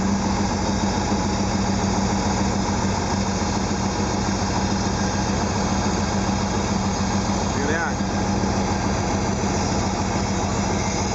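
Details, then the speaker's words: 1974 Porsche 914 2.0L with Manifold Pressure Control fuel injection, cold, during points and timing adjustment: steady slightly raised idle with even low thrum; the warm-up valve is open, causing a vacuum leak that speeds idle until it closes. "the valve is open and it causes a vacuum leak it makes an idle faster as it warms up it closes off and slows the idle down so that's coming into play right now"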